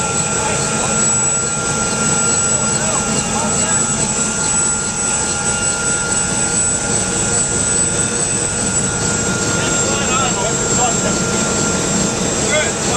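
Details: UH-1 Huey turbine engine running after rebuild: steady high turbine whine with a constant tone and even rotor thrum, no surging or grinding; running smoothly.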